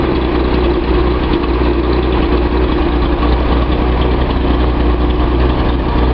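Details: Nissan 280Z L28 six after a suspect misfiring injector was swapped for another: a low, steady idle holding an even note without stumbles or misfires. Running smoothly.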